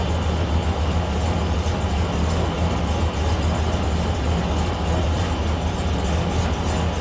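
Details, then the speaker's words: 2001 Silverado V8 at idle with the EGR valve commanded open by a scan tool actuation test: a deep rumble with an uneven, loping beat and stumbles. Exhaust gas recirculating at idle causes misfires. "And if we increase it, the vehicle should start to misfire and run a little bit rough. And the more we increase it, the worse it's going to run."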